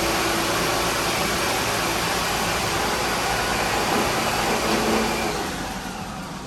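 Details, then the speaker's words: MEI hydraulic elevator pump running slow-up under load in the machine room: a loud rough rushing roar turns to grinding toward the end as the pump sucks air because the oil tank is below the minimum level. "Because at the end you could hear that grinding sound. That's because it was sucking in air instead of oil because the oil tank level got too low."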